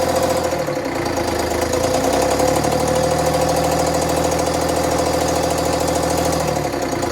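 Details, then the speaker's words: Bus conversion diesel, cold-weather start: lumpy, uneven running with irregular knocking that smooths somewhat later; one bank not lighting, owner plans to remove the valve cover to inspect. "definitely that one bank just doesn't want a light so um i don't know some point i need to take off that valve cover and really look at it"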